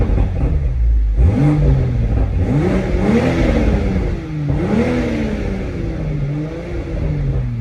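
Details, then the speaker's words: Toyota Supra (V6) exhaust clip: smooth revs rising and falling with a clean, even stock exhaust drone, no knocks or rattles; owner finds the sound underwhelming compared with V8s. "but for me this car was very underwhelming for me on the exhaust side of things"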